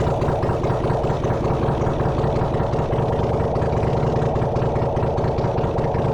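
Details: Honda CX500 engine on a bench rig, no exhaust, coolant or oil filter, getting warm: steady, even idle with a smooth low beat and no knocks or misses. The engine runs well.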